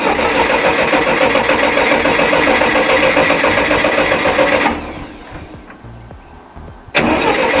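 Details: Massey Ferguson MF 135 tractor, Continental 2.4L gasoline 4-cylinder, after carburetor refit: engine runs ragged, sags for about two seconds then surges back, governor hunting as if fuel-starved; air filter not clogged, cause unconfirmed.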